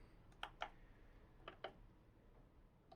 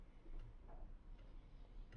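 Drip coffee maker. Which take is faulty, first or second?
first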